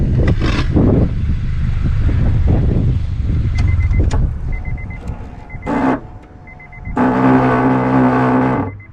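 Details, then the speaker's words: Acura Integra DC4 power antenna, GoPro held out the open door: at engine shutoff the mast jams retracting, harsh buzzing grind about two seconds; antenna motor drive likely binding, also happens at startup. "when I turn this car off the antenna is supposed to retract itself down but mine gets stuck and it makes this horrible noise listen to this foreign"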